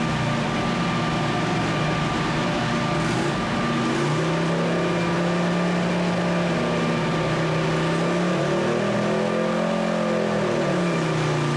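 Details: 2007 Harley-Davidson Heritage Softail, previously running lean, after new fuel pump, fuel pressure regulator replacement, ECU flash and dyno tune: big twin pulls smoothly, note climbing and holding steady with no misfire, popping or stumble.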